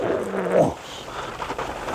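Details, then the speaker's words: Rover 25 with 32,000 miles: electric window motor heard whirring with a low strained hum that pulls and then cuts out abruptly. The window is not working properly and seems to bind or struggle, so it is not forced. "that one doesn't really appear to be working properly you can hear the motor and it pulls and"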